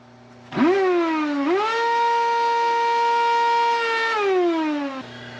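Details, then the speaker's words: Dyson DC78 ball vacuum: loud whistling whine rising at spin-up, holding steady, falling at shutdown, while blowing dust out the back; owner suspects a clogged filter or pipe blockage. "you issue hear the weird noises making plus it's blowing dust out through the back so we need to pull it apart"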